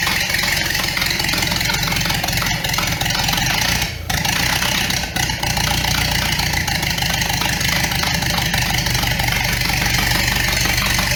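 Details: 1929 Ford Model A doodlebug with an unknown donor engine, first bare-bones start: steady, even idle with quick regular firing patter, no knock or misfire, little smoke; running fine.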